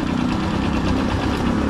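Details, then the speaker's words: TMX 155 motorcycle single idling loud and rough, vibrating heavily with mechanical clatter before engine teardown. "so pag piner natin nakikita mo yung vibrate masyadong maate yung makina niya t saka maingay talaga yun"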